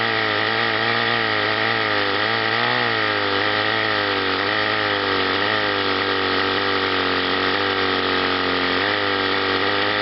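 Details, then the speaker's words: Chrysler outboard on a test wheel, top cylinder hotter: runs steadily but stumbles as one cylinder cuts in and out; intermittent ignition misfire, condensers under the flywheel to be checked. "you can hear this fire it's only running on one there and it's got two coming in inter"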